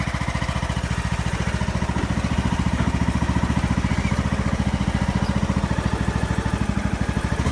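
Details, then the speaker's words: Craftsman YS4500 lawn tractor, 20hp Briggs & Stratton Intek twin, after head gasket replacement fixing oil burning plus tune-up: even rapid exhaust pulses, steady speed, no misses or knocks; normal running. "I got the new head gasket installed, and it seems to have fixed the oil burning issue, so I'm pretty happy about that."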